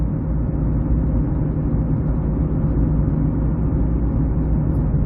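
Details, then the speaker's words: 2006 Ford Escape Hybrid while driving at about 5–6 degrees: a steady low front-end hum over road rumble that changes only with road speed. Tires, wheel bearing, rotors, pads, electric motor or ice are suspected; not confirmed. "all i can tell you right now is that the only time it changes is with speed"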